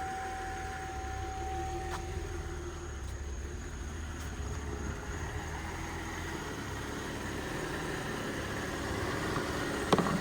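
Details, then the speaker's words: Flood-damaged 2007 Cadillac CTS V6, about 50,000 miles, first run, AC/power steering belt bypassed due to seized AC compressor: steady even low rumble, no knocks or misses; normal idle. "Yeah, it seems to be running pretty well."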